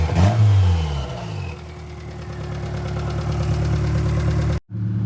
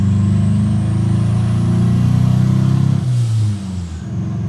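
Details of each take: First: Turbo Honda Accord F23 after replacing the bad coil pack that had caused misfire at idle and in VTEC: it revs up and down smoothly with no stumble. Smooth revving, no misfire. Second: Turbocharged Honda Accord F23 petrol engine misfiring at idle and everywhere, lumpy uneven pulse stumbling as revs build; customer complained it breaks up entering VTEC; misfire followed swapped coil pack, confirming a faulty ignition coil.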